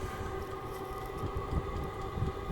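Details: Vevor 5kW vertical all-in-one diesel heater, first startup on max of six heat settings: steady blower whine over a soft low rumble, fuel pump ticking, even and unbroken; burning normally.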